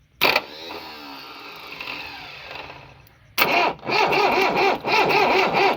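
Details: Swaraj Mazda Super XM direct-injection diesel truck, cold start after sitting 4 years. A starter burst and fading whir, then it catches with a surging, uneven beat; a hard start after long storage.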